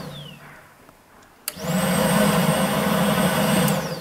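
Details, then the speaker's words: 2009 Chevrolet Malibu 2.4, code P2432, secondary air pump commanded on by scan tool: click, then steady loud droning hum and high whine as pump deadheads against the closed valve; pump works, pressure reads zero. "that sounds like it was just deadheaded right there yep you can hear the difference in the sound"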